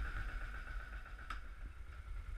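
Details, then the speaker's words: 2004 Kawasaki KVF 360 ATV, still warming up: low, even idle, slightly slow, with a faint steady whine, no misses, no smoke, just steam. Normal cold idle. "their idols finds a little bit slow right now cuz it's still warming up as you can see there's no smoke just steam"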